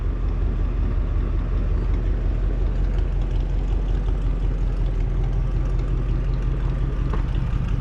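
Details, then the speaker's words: 1989 Ford F-150 after frame replacement with 7-inch C-channel, first start after priming the fuel pump: steady low V8 rumble settling into idle, even with no knocks or misses; lit off easily. "Shoot. That lit off a lot easier than I thought it would."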